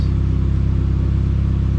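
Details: Pontiac Sunfire after alternator replacement (the old one growled): deep, smooth, even idle with steady low pulse, no knocks or squeals; normal idle.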